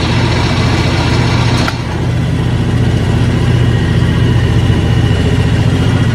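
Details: John Deere X724 tractor with 54" snow blower engaged; steady, even low drone from the tractor engine, no knocks or surges; everything running smoothly and normally.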